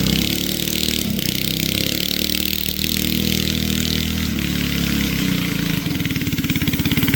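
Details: Barn-find race go-kart with an original flathead Briggs & Stratton that once ran alcohol, now on E85 after sitting 30+ years; the single revs rough and uneven under load, stumbling instead of pulling cleanly, and bogs. Carburetor issues suspected.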